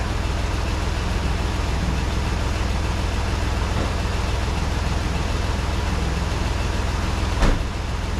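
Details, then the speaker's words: 1988 Toyota FJ62 Land Cruiser, 290K, warm with temperature gauge just below middle (about 190°F), after timing check: steady, even drone a touch faster than a normal warm idle, no misfires or knocks; high idle speed. "idle's a little high so I'm going to run that down a little bit"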